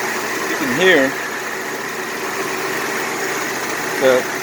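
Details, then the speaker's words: 2000 Nissan Xterra after replacing number 5 fuel injector, engine idling around 850–875 rpm, heard outside: steady, even idle hum with no stumble, misses or surging, unlike the earlier stumble; running smooth. "nothing's going on because before when she stumbled this whole topic you know would be shaking like you know trying to keep up so far it's running smooth"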